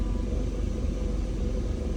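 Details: BMW E39 540 at standstill in R or D: deep, heavy rumble with rough shudder and vibration; knocking not clearly separate, cause unknown.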